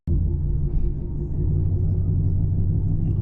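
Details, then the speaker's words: Lexus RC F while driving: deep continuous drone from the rear, steady without sharp knock; owner suspects tires, as a similar sound stopped once after a tire change; cause unconfirmed; rumbling noise while driving. "You guys hear that sound? Yo, that's a strange Yo, that's a strange ass sound. All jokes aside, does anyone know what on earth his sound is? It's coming from the back."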